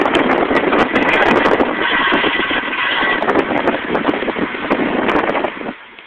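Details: 2000 Nissan Maxima, just after a tire replacement, turning left: rough rhythmic metallic scraping pulsing with wheel rotation, caused by a bent brake pad grinding the thin brake dust shield; fixed by bending the part back.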